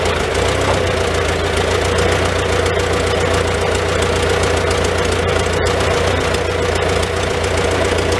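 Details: Old Farmall tractor engine idling in neutral inside a tight, smoky shed with the muffler cap removed, just after starting on choke with the switch; steady low rumble with some mechanical clatter, no missing. Normal idle, running not too bad.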